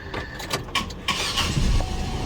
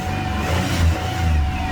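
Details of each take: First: 2001 Chevy Monte Carlo 3.8L with random stalling, stumbling and intermittent no-start: steady whirring crank that never fires. Fuel pressure stays rock steady, about 40 psi at rest, so not the fuel pump. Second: 2001 Chevrolet Monte Carlo 3.8L that stalled, stumbled and sometimes wouldn't start, after ignition module and coil refitted: low steady idle, stable rpm, no surging; tapping coil, wiring harness and battery cables causes no change.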